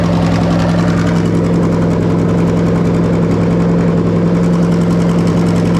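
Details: Lexus GS430 2005-07 3UZ-FE VVT-i V8 on Link G4+ X-Treme ECU, plug-and-play harness for IS200 with manual gearbox, just started: smooth even idle, steady low hum, no knocks or misses; normal idle.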